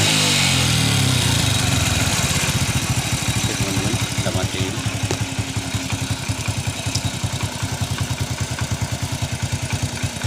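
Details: First-generation Honda Revo carburetor motorcycle after cleaning the clogged carburetor jet and refitting the plug: steady single-cylinder putter about three beats a second settling into an even idle; runs normally now, though white smoke at high throttle is noted.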